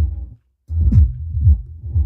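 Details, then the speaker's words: Taramps TL1500 three-channel amplifier module, newer version with TL494 in the supply: bass output drops out and returns in bursts as the IC shuts down and restarts, caused by a faulty output inductor on one channel. "circuito integrado ele percebe que tem alguma coisa e desliga então aqui o circuito integrado ele fica ligando e desligando ligando e desligando"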